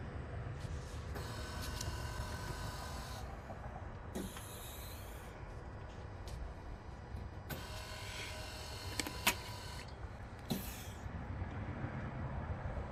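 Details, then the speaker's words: 2013 Toyota Camry Hybrid with ABS codes C1451, C1345 and C1368, during the brake bleed procedure: the electric ABS pump whirs on and off in short bursts over about 90 seconds, as expected. "uh it's about 90 minutes uh uh sorry 90 seconds a minute and a half and i hear the pump coming on and off"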